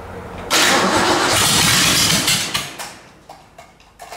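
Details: 1947 Ford truck rat rod, first crank after the build, started by jumping the starter solenoid: a loud rushing burst of cranking and sputter that dies into a few scattered pops; engine never settles into a run.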